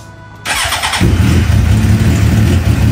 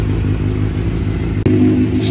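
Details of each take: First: 2009 Suzuki GSXR 750, start after new spark plugs and ignition coils: starter whirr, then a loud, lumpy, uneven idle. It now stays running but still runs rough; earlier it died when throttled. Cause not yet found. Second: 2009 Suzuki GSX-R 750 that wouldn't stay running, idled poorly and died on throttle, started after a new plug, new ignition coils, fuel pump reinstalled and fresh fuel: fires instantly with a smooth, steady idle and no hesitation.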